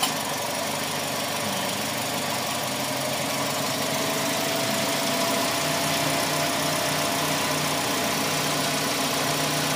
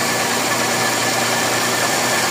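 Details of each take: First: Toyota Vios Gen 4 with worn, rough-sounding A/C compressor, engine idling with compressor engaged: steady idle and even compressor hum, no repeated clutch ticking; a single tick is normal, rapid successive ticks would be abnormal. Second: Toyota Vios Gen 4 with A/C engaged: steady coarse grinding whir from a rough worn compressor bearing; quiet when compressor disengaged.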